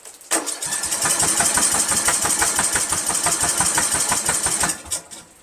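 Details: 1999 Craftsman LT1000 lawn tractor, Briggs 17.5HP, after flywheel cracked, valves adjusted to spec, spark good, 130psi compression; starter cranks in even pulses about four seconds with no firing; cranks but will not start, cause unknown.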